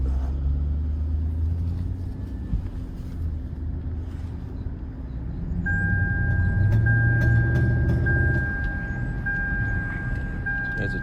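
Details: Lexus LS460 V8 on test drive, customer says it won't accelerate: low engine rumble stumbles unevenly about four beats a second as it pulls and won't build speed; misfire and hesitation.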